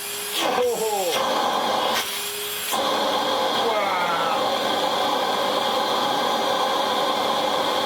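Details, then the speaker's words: Hitachi Powerhouse CV-460D upright vacuum, circa late 1980s–early 1990s, brush roll removed, motor run alone: smooth steady hum with no knocks or rattles; healthy motor, though the wind-down sounds a bit dry; a worn belt is hoped for. "What we could do now is reconnect our power supply and just see how beautiful the motor itself sounds."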